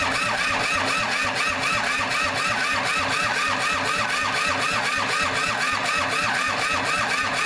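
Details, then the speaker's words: Kubota L2500 diesel tractor, first start attempt, glow plugs not used, weak battery: steady starter cranking about three compressions a second, never catches; smoke seen from one hole; cranking, no start. "okay we're gonna give it a break I didn't uh hit the glow plugs or anything I might even fire if I hit the glow plugs"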